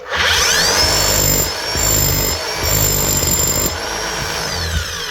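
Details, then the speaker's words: DeWalt D25810 chipping hammer after bearing replacement, gears and armature gear slightly worn but meshing; short trigger bursts with smooth high motor whine and light gear buzz; hammer sounds healthy, normal running. "Doesn't sound too bad. The gears are worn. There is damage to the actual gear on top of the armature and probably to that crank."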